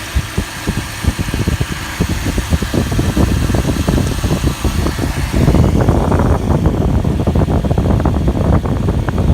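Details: 2001 Toyota Tundra, 205,360 miles, after serpentine belt and idler pulley replacement; settles into a steady, even idle with fan whoosh, no squeal or chirp; running fine.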